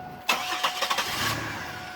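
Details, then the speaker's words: 2001 Pontiac Grand Prix 3800 V6 that dies on the road, mass airflow sensor plugged in: long cranking, then it catches and revs up and down instead of settling; hard start and surging from a faulty MAF, runs when unplugged. "see it's kind of hard to start and if it does start it just kind of revs up and down you want to try a few more times here maybe we'll get lucky and you'll be fine definitely not"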